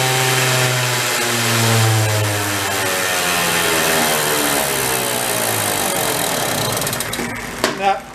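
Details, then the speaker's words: 1970 Benelli Buzzer mini bike, parked 40+ years: small single revs unevenly, pitch wandering, never settling into steady idle before stumbling; spraying around a suspected intake leak made no difference, owner suspects crank seals; poor idle, cause not yet found. "didn't make any difference hmm all right so there's a couple things I'm kind of thinking of that could be an issue why it's doing what it's doing one is crank seals"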